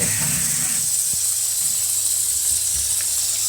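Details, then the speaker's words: Hot water pipe fitting burst overnight under bathroom floorboards, combi boiler firing with no hot taps on, no central heating; steady high hiss of water spraying out beneath the floor, steam visible. "So that's how we found the leak. So we come around here, open, pulling the bathroom apart. See the floorboards there. And down here, you can hear the water coming out."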